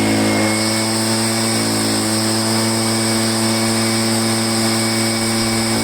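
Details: Echo PB500H blower, previously no-start from flooding non-OEM carburetor, fuel line kink fixed, well primed: steady high-speed whine, even pitch and level, no surging or stumbling; runs healthy at throttle.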